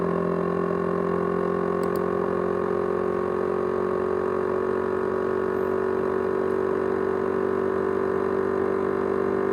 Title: ASUS X543UA USB HDD 500GB: (RATTLING SOUND) (SOUND JET ENGINE)